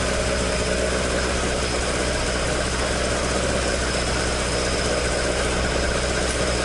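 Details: Toyota AE86 with 4A-G engine after exhaust leak repair, stock exhaust: a steady, even idle with a deep, continuous burble and no ticking or puffing. Normal idle with a leak-free exhaust.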